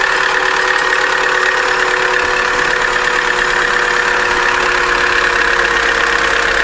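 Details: Opel Corsa D A14XER 1.4, 65,000 km, codes P0011/P0014, noisy when warming up and may stall hot: cold idle with dense metallic rattle and clatter, suspected stretched timing chain with weak tensioner.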